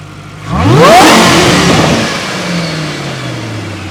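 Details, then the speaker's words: Supercharged Ford GT after repair: a sharp rev brings a clean supercharger whine climbing with engine speed and fading as revs drop; supercharger sounds healthy. "Yeah. And right here is where you hear the supercharger. Let me get one more."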